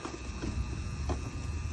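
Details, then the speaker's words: Amana 3-ton condenser unit with moss on the condensing coil, just switched on from thermostat: low steady hum with electrical buzz and sizzle; buzzing at the contactor, cause unclear. "hear that humming it's like a sizzling sound it's like they're at sizzler cooking a steak or"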